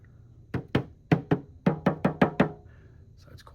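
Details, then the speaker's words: Tapping a doped aircraft fabric panel: nine crisp hollow drum-like taps ringing briefly, quite drummy, showing the dope-finished covering is tight, unlike the less taut water-based polyurethane panel. "quite drummy, sounds good."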